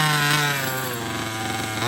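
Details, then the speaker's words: HPI Baja 5B 1/5 scale RC two-stroke after carburetor tuning: fast, fairly steady idle with a slight dip and recovery; idling a little high and still needs tuning, but now running. "all right I messed with the tuning a little bit more got it idling it's idling a little high"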